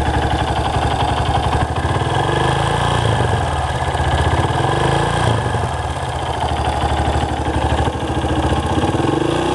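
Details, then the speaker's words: Engine idling with a fast, even light metallic clatter on every firing pulse that doesn't settle. The owner suspects a loose, slapping timing chain; valves are possible but less likely after a recent valve job. The cause is unconfirmed. "I'm curious uh what this noise is I'm going to start it up I don't know if you can tell with the camera but does that sound like a chain a loose chain slapping"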